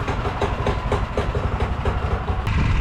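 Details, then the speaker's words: Predator-engine-swapped golf cart idling to warm up in a cold garage, just after its welded rear diff was filled with gear oil. A steady putting idle at four to five beats a second, even with no misses; it runs cleanly. "we're gonna let her idle up and warm up because it is even in the garage with the fire going it's cold"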